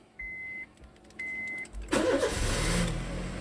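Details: 2013 Honda Jazz RS automatic, rarely used: two chimes, then a quick crank and clean catch settling into a smooth, even idle; the engine starts and runs normally.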